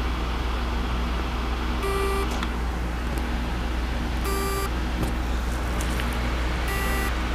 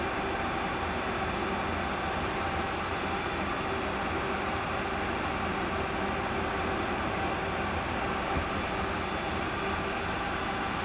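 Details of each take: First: Seagate 1TB 7200.12 hard drive that won't spin, mic placed on the drive: short tonal buzzes about every 2.5 seconds with no spin-up whir, a seized spindle; platters to be swapped to a working chassis. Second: 1 TB 7200 rpm Seagate hard drive, not spinning and making noises, possibly a bearing problem; after a platter swap onto a good spindle and PCB refit, a steady, even whir with faint constant tones: the drive spinning normally at full speed.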